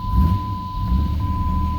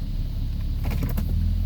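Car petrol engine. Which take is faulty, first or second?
first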